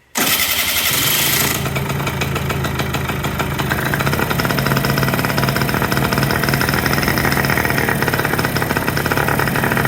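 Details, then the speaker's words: Kymco 50cc two-stroke scooter, carburetor already cleaned, no start: engine catches into a buzzy idle only with the intake covered by hand to richen it, pointing to a failed electronic automatic choke running lean. "it'll start and run. So, trying to figure out what the issue is here. These actually have an electronic choke on them."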